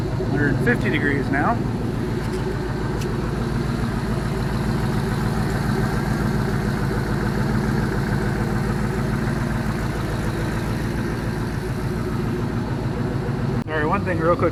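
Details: All-aluminum 5.3L L33 HO Gen 3 LS V8 on a test stand after a lifter replacement, warm and running closed loop with fuel trims near zero: smooth, even idle with no ticking; normal warm idle.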